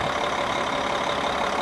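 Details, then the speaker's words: Kenworth T-800 semi, parked 7 years, fired right up with no white smoke: settles into an even, steady idle with no misses, knocks or hunting. Normal idle. "Like it cranked yesterday. Was there any white smoke come out of there? None? It just started."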